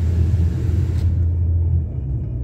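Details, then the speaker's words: Car on snowy road after wheel bearing replacement, driving slowly: smooth even low road rumble with no hum, growl or whirr; bent rotor dust cover possibly heard; bearings sound healthy. "Might be the rotor on the dust cover I'm hearing because it was bent. Other than that, I don't hear any noise yet."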